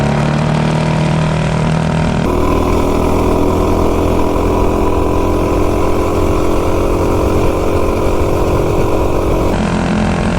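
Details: B200 minibike with a modified 196 engine, 40 sprocket and Juggernaut driver on a full-throttle top-speed run reaching about 54.5: a steady, even engine drone holds a constant pitch with no slipping or surging. The drive pulls and engages smoothly.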